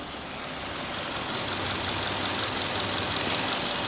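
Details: Hyundai Veloster automatic transmission after fixing a clogged transmission filter that aerated and bubbled the fluid; smooth, steady run with even hiss and no whine, clunk or gurgle; fluid no longer shows air, gearbox sounds healthy.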